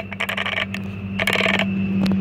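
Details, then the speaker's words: DeWalt DCS570B 20V cordless 7-1/4" circular saw, about three months old and used only once or twice, blade removed. The motor spins briefly, then clicks in rapid bursts and stops. Owner suspects the brake is engaging or the battery is too small. "let me see if it starts here it goes like that and stops"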